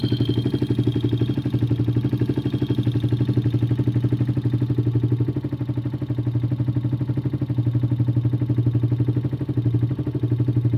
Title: Valve clearance or engine knock